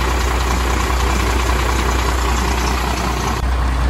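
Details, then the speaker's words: 1989 first-gen Dodge 250 with 5.9 L Cummins diesel fired right up in neutral: a deep, steady rumble at idle with an even beat and no knocks or misses: normal idle. "okay let's go ahead and try to fire it up oh she just fired right up we were in neutral"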